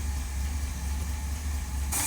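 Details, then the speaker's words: V8 idling after a rebuild of its Holley 1273-1 carburetor, following a cold start: a deep, steady, even burble with no stumbles. Some other minor noises remain, but it idled smoothly through a parade. Normal idle. "You can hear a little bit of stuff going on, but the carb, she is done and running great. And we just had it in a parade, and it's idled smoothly all the way."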